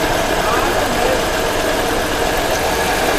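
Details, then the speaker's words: Suzuki Mehran Euro 2 petrol, after fixing misfire from fuel injector pulse problem: steady, even idle hum with no stumbles. "देखिए अब गाड़ी का sound ठीक हो गया"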